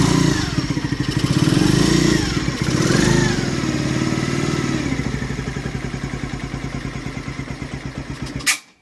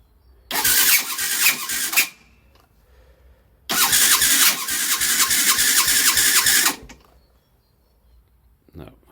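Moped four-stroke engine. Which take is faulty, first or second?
second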